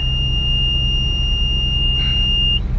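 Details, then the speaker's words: Corn combine return elevator turning over after being stuck, tight chain having caused trouble all day: even, steady drive rumble with constant high beep and no ticking or clacking; return elevator now running clean. "starting to turn okay don't hear any clickety clicky clack"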